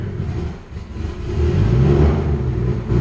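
Low, uneven engine rumble with a wandering beat and slight surging as it rolls in; sounds rough and likely needs tuning.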